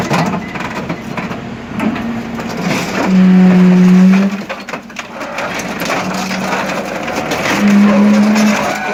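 Heavy irregular crushing and cracking strokes over a low hydraulic drone, the shear cycling through material working normally.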